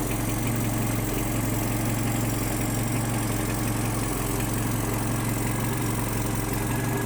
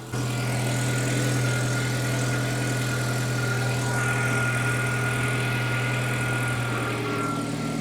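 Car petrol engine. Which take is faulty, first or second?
second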